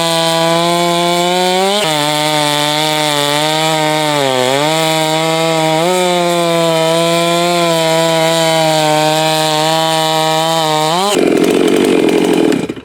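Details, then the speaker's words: Farmertec 54mm chainsaw cylinder build ("Farmer Jones") cutting in test-and-tune session: screams in cut but pitch dips and surges, sags, then cuts off abruptly; irregular running under load, owner predicts ignition about to fail, unconfirmed. "That 54mm Farmertec that I had running, usually when it sounds like that, I had one do this before, that ignition's about ready to crap out on me."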